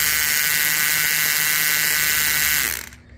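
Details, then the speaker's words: Huina 1583 RC front end loader drive gearbox after fixing loose pinion: loud, harsh high-pitched buzzing gear whine, then winds down; parts are preset, no adjustment possible, performance seemingly unaffected. "taken this back up part twice to make sure everything lines up and it does but it's just noisy for some"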